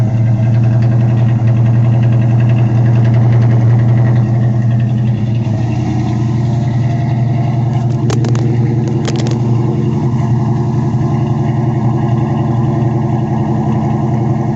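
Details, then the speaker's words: 1979 Pontiac Firebird V8 idling after sitting eight hours, plugs replaced three months earlier then cleaned: deep steady idle with low lumpy beat stumbling now and then; misfire from fouled spark plugs. "i cleaned off those spark plugs [Applause] you can hear she's got a miss on her"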